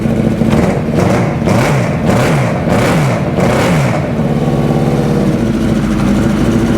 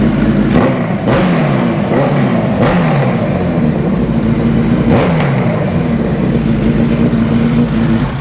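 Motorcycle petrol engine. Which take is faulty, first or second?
first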